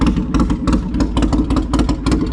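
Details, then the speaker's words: 2007 Polaris Sportsman 700 ATV idling with the muffler removed during a muffler change: a loud, raw, lumpy popping beat like a big Harley twin. Loud open exhaust, no muffler. "I like that. I don't think they like me riding around with that noisy thing on. Oh man, that sounded like a nice Harley though."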